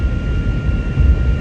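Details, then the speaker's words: Vehicle at highway speed over 60 mph with roof light bar bracket, heard from inside overhead: thin steady whistle over heavy low road rumble, velcro on bracket only partly helped; wind whistle from roof light bar. "here isn't that crazy that happens over 60 with this the light bar"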